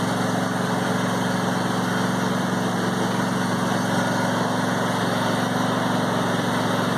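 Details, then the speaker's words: Brand-new John Deere E180 25hp lawn tractor (0.1 hours), first start on a little fresh gas with no choke and foot on the brake. The engine catches at once and settles into a steady, even idle with no knocks or misses, a normal cold start. "And it fired right up. With these, as soon as you get off the seat, it turns off."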